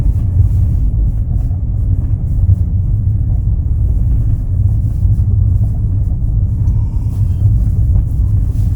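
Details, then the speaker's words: Kia Ray at 338,000 km on a cold winter day: a loud, heavy low rumble fills the cabin whenever the accelerator is pressed while driving, quieter once the engine warms up; cause undetermined. "주행 중에도 엑셀만 밟으면 소리가 꽤 크게 나고 멈출 거 같아요"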